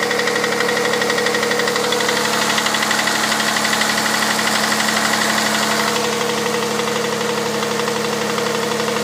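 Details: Hyundai Santa Fe CM 2.7 V6 G6EA, cold start idle: sharp, even ticking knock about three times a second over the engine hum; cause unknown.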